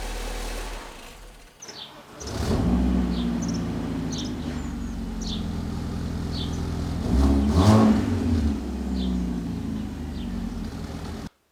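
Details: BMW E46 Compact after exhaust repair (new pipe clamped to the old one with assembly paste): engine cranks, catches and settles to a steady idle with a rev blip, no exhaust-leak puffing; healthy running.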